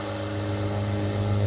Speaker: A little cage vibration, but it goes away. Super smooth runner. Very little GE whine.